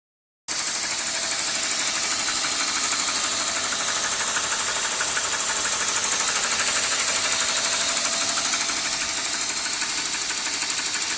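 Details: 1998 BMW 528i petrol engine at idle with a fast, light ticking or tapping; the owner suspects VANOS, not confirmed. Engine ticking at idle.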